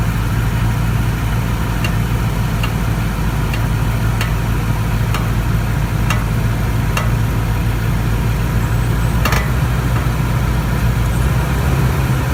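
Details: 2014 Toyota Tundra at idle: steady low idle with sharp, irregular pops every second or so from the driver's side of the engine. The cause is not pinned down.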